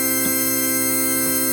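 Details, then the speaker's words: 1960s Vox Jaguar organ after cleaning voice selector rocker contacts: dead-steady note with no vibrato at all, bass also very quiet; traced to the bass low C divider vibrato oscillator module. "nothing no vibrato at all"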